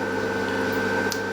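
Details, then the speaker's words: Mishto 600 W pure sinewave inverter powering two antique fridges, about 400 W load: constant droning hum with steady mid-pitched whine from noisy cooling fans, which were lubricated with a fair bit of oil. "i've lubricated these fans too these fans are noisy i'll fix that and lubricated them with a fair bit of oil"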